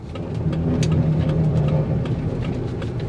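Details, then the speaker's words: 2003 Lincoln Navigator, 325,000 miles, pulling away from a stoplight: engine rumble swells with a faint hum and light clicks about four a second, a weird noise only on first hitting the gas, then gone; no vibration, shifting fine. "okay there's no vibrations but there is a weird little noise only when i first hit the gas and then it goes away"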